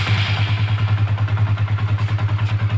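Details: Honda CB150 fuel-injected motorcycle started with the neutral switch wire jumpered to ground while chasing a no-start-button fault: steady, even single-cylinder idle, regular low thump about three beats a second, no misses; engine runs normally.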